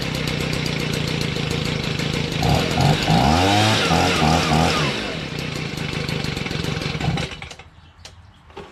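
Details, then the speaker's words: Stihl BG55 two-stroke leaf blower with a new carburetor. It buzzes unevenly, revving then sagging back, and dies out at the end. Throttle response is poor and it stalls at idle. "but it kind of bog not bogs but the responsiveness isn't like is what i like i would like it idles this well as it stalls"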